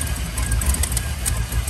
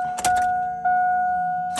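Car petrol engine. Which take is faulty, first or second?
first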